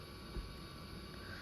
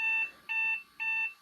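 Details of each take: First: 1993 Compaq Contura 4/25 notebook hard drive after power-supply capacitor repair: a quiet, steady spin hum with a faint high whine and no clicks or scraping; the drive sounds healthy. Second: 1993 Compaq Contura 4/25 notebook powering on after leaking capacitors in its power supply were replaced. Three short high-pitched beeps, evenly spaced about half a second apart, at power-on; a startup warning code, cause not known.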